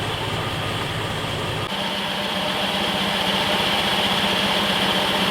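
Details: Jeep CJ-7 that kept dying and not starting, after new fuel tank, fuel pump and gauge: engine ticks over at a steady, even beat with no stumbles or surging; normal idle, fuel delivery healthy.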